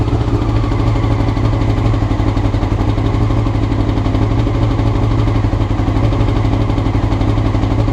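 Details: Honda CBR motorcycle recorded before changing the float needles: it sits at a high, fast idle with a deep, slightly lumpy exhaust beat that never settles; rough idle, cause suspected, not confirmed.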